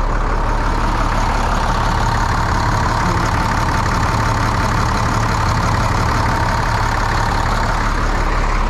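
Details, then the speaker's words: 1998 International 4700 DT466E diesel after a no-start traced to a missing HPOP ferry plug ball; steady heavy diesel clatter at an even pace, no misses or surging, normal smooth idle. "but it it feels like it's running pretty good"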